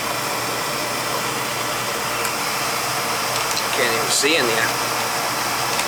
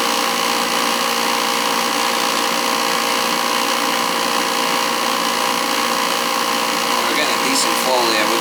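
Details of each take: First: Old oil-fired boiler during service, fired up: smooth steady roar with constant low hum and airy hiss, no rattle or grinding; burner running, quieter than before, needs replacing; limits 170 low, 190 high. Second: Old oil boiler burner running with the FF jumped out: loud steady roar with a rough, fluttering hiss; noise from the burner's air shutter.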